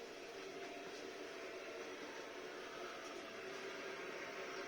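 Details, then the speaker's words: Volvo 240 GLE with an LS2 swap, fuel pump pressurizing the system: a steady, even hiss and hum that is noisy but normal. Pressure is about 63, with a small drip from finger-tight fittings. "certainly noisy but i don't imagine i'll hear that over the engine"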